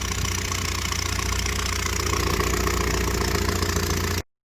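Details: 1978 Triumph Spitfire 1500, jump-started after two weeks of hard starting. A pop on revving after idling, then a loud coarse tractor-like drone at idle with an uneven low chuffing pulse. Owner suspects an exhaust leak.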